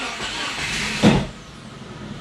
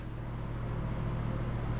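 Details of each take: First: Cheap Subaru with loss of power, started with holes cut in the exhaust to test a suspected blockage: harsh, raspy roar with hissing puffs that swell when revved, exhaust pouring out the holes; revs okay. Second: Cheap Subaru bought with loss of power, engine warm at idle, listening at the coolant reservoir (low but not empty): steady low hum, no gurgling or air bubbling, so head gasket is probably okay; normal warm idle.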